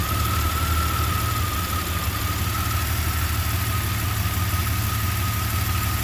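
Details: Jeep Comanche 4.7L stroker engine at idle: deep steady rumble with an uneven, loping pulse and a faint constant whine; rough idle, cause unknown.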